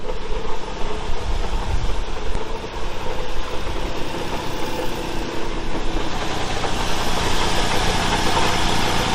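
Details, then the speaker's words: 2013 Ford Explorer leaking transmission fluid, said to have a bad engine, running: loud, rough rumble with uneven knocking, source unclear, owner suspects the transmission rather than the engine; engine knocking noise. "there's a noise coming from somewhere y'all tell me what that noise come from now i'm thinking it might not be the engine that might be it might be the transmission"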